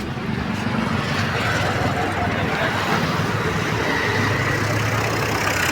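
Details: Tata Indica Vista TDI diesel with hard-starting and check-engine-light complaint; steady idle with even clatter, earlier rattle gone, both radiator fans running; sounds healthy.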